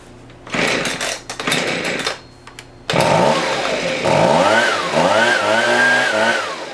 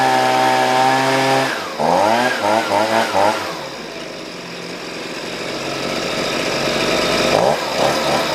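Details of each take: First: Husqvarna 125B two-stroke after a new piston (old one damaged by straight fuel), idle being tuned: revs rise and drop unevenly, rough and burbly at low speed, so the low-speed screw is a little rich while the high is almost perfect. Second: Husqvarna 125B two-stroke blower after a new piston (old one damaged by straight fuel) and leaning the low-speed screw: the engine revs up cleanly, returns to a steady idle and revs again without bogging, so it runs well.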